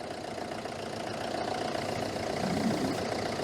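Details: Citroen Berlingo HDi diesel, first cold start in over a week, getting gradually worse: uneven lumpy idle with occasional misfire stumble; MAF fault found, bubbles seen in fuel pipe, fuel-side cause suspected, unconfirmed.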